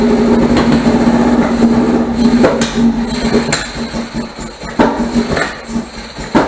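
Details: 1978 MGB after fitting rebuilt carburetors and deleting ignition points, started on starter fluid with no choke cable: uneven lumpy idle, irregular thumps and surges about twice a second over clattery running; rough and very rich, owner suspects tight valves.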